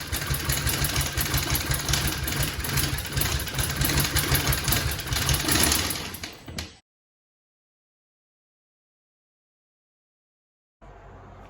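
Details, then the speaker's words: 2018 Hyundai Tucson 2.0 that suddenly quit a week after purchase: rough, uneven cranking with a clattering, lumpy beat and no start, timing chain first suspected; cause was a broken piston. "When you try to start it, it just sounds awful. I mean, I don't know if you all heard that, but it sounds like the timing chain's getting ready to fly off the thing."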